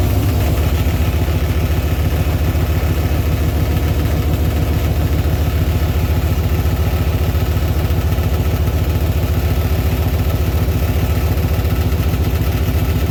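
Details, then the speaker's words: Tahoe with swapped-in 6.0 V8, long-tube headers, Flowmaster FX muffler, first start: rough idle with rapid clatter about three or four hits a second; cooling fan blades striking the shroud. "So I found out what that noise was. Yeah, the fan was beating the shit out of this funnel right here that I was looking for about 10 minutes yesterday."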